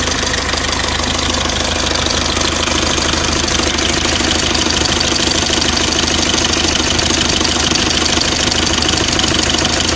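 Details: Mercedes OM601 2.3 diesel idling with a hard, regular metallic knock about twice a second above the clatter; engine knock, source not determined.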